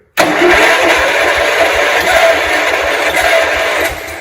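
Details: 1971 John Deere 140 H1 tractor, long parked, plug tightened, fuel leaking: fast even cranking around four beats a second with faint tries to catch, never runs; cranks but won't start, got very close.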